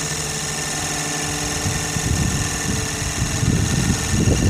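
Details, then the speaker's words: Sirius steam engine generator plant, boiler at about 40 psi, field powered, output 20 volts about 3 amps charging a battery on a warm day: steady hum with soft rhythmic chuff building to about 3.5 beats per second, smooth and healthy under light load. "That took it up to 20 volts and about 3 amps. The only power being drawn is what's going into this battery and the field itself."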